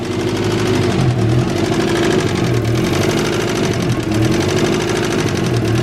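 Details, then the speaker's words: Turbo Honda Integra at a rough, lumpy, extremely rich idle: fast sharp tapping or knock from the engine's noisy top end, preventing it from being tuned. "it sounds like the top end of the motor is got a little knock to it or at least a tapping sound coming from the top end of the motor"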